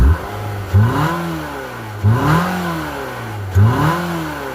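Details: Nissan just after a transmission replacement, customer says it sounds like a go-kart, no visible leak, fault code believed present: loud raspy buzz swells and falls with each rev at standstill, heard from outside the car; source not yet pinned down.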